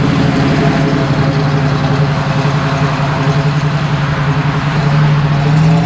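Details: 1979 AMC Spirit AMX, 304 V8, driven with a newly fitted Brawler carburetor with mechanical secondaries, same jetting as the failed vacuum-secondary Jegs carb: strong, steady low note building cleanly without stumbles or flat spots; normal acceleration, secondaries now open.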